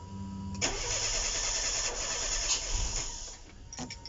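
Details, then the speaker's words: Opel/Vauxhall Corsa with a shop-rebuilt engine, an hour after startup and before the timing was corrected: the starter cranks briefly and the engine catches with a rough roar, then stumbles and sags; it won't hold idle without throttle assist. The engine seems still tight and the pump is very loud. "She has a funny little, like a little stumble. I think this motor's still tight. That pump is very loud. She does that. Then you have to assist to idle."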